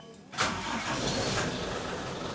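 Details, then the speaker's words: 1994 Toyota Kijang Super G inspected as a used-car purchase: brief crank, starts immediately on first try and settles into an even idle while engine vibration is checked. Healthy engine start. "mobil saya ini langsung nyala ya kita periksa kita dengarkan kita dengarkan mesinnya"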